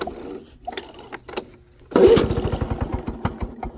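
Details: Lawn-Boy 7268 two-stroke mower, carb cleaned with original parts, needle unadjusted, new spark plug, oil in cylinder: first cold start, brief pull then catches at once to a steady even beat with no misses; smoke cloud afterward.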